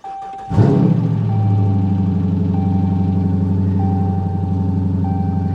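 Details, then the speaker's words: 2013 Ram 1500 Longhorn V8, fire-damaged auction truck with about 75,000 miles and check engine light: cranks and settles into a loud, rough, burbling idle because the exhaust is not attached. "okay so can you hear the exhaust 75,00 000 miles on this one Jiffy Lube do at 76 you can hear the exhaust isn't even attached right there"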